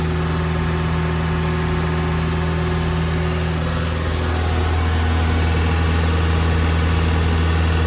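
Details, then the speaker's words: Toyota MR2 Mk1 after radiator and fan repairs and new leads, rotor and distributor cap, just started cold: a steady low hum with an even beat and no knocks or misses; normal fast cold idle that falls to 850 rpm when warm. "It's always idles high when they start. It's just a trait of the Mark 1 MR2. Once the engine gets up to temperature, the revs start to fall back down and it idles at 850."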